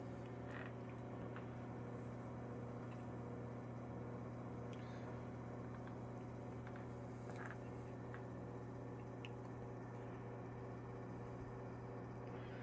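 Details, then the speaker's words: Westinghouse Pacemaker 8-inch desk fan from the mid-to-late 1940s, motor drawing about 0.5 A and getting a little hot; steady low electrical hum with faint irregular ticks, runs quiet with modest breeze but motor may be failing. "fan runs smooth very quiet throws out a modest breeze nothing too overbearing it's a good for a small desk as you can hear the motor is definitely in need of help"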